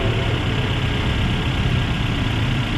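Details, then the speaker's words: Suzuki APV that had rough idle, vibration and low power: low, even idle with steady rumble and no shaking or stumble; engine now runs smoothly. "Oh wala ng hinig wala ilog wala ng kalog umaarangkada"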